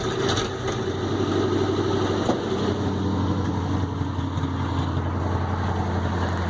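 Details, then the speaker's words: 1965 International Loadstar 1700 at first start, choke out, idling smooth and quiet with a faint puffing tick over the low drone from an exhaust leak at the manifold donut gasket. "Exhaust leak, but man, she's quiet. I just hear an exhaust leak on the other side. It's sitting there just running smooth as glass. Maybe we can see that exhaust leak. Yeah, it's right there at that donut."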